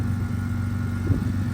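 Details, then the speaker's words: BMW E82 idling on its own after being fixed, having misfired the day before; a check engine light is still on. Low, even idle hum with a steady beat and no tapping, knocking or misses: runs smoothly, normal idle. "Idles fine. Runs good. Stays on on its own."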